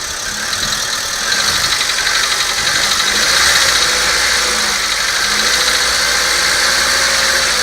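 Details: Volkswagen Polo sedan engine blipped to about 2000 rpm and released: light, fairly quick knocking over the engine note; engine knock, source not pinned down.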